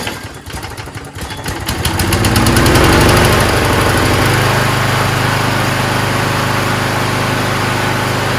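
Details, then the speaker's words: Toro Recycler mower, first start after a month in the shed, primed: a few pulls then catches and runs smooth and even with no sputter; good sounding, healthy engine. "it's a good sounding engine man"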